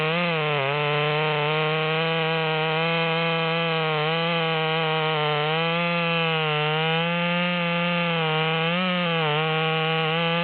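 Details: Ported Stihl MS200T top-handle chainsaw with a 25-inch bar, after a carburettor adjustment: a high, steady buzzing pitch through the cut, dipping only slightly under load and recovering; strong, healthy pull.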